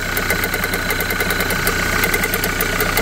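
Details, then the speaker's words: Renault Kangoo, 343 thousand mileage, morning cold start; fast metallic even rattle over steady idle from the engine front, alternator overrunning clutch suspected. "завожу Я вчера машину Ну вчера как-то громко сильно шумело откуда-то оттуда как будто"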